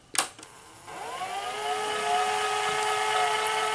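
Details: Sony SL-HFR30 Betamax VCR in fast forward with a tape: a click, then a whirring motor tone that climbs, levels off and wavers; the motor hesitates, and the owner suspects the idler and reel table motor capacitors.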